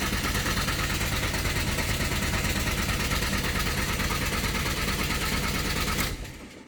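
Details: 2006 Jaguar X-Type 2.0 TDCi diesel: starter spins at a steady rhythm about three beats per second but engine never catches; crank no start, fault code P0200 injector circuit malfunction.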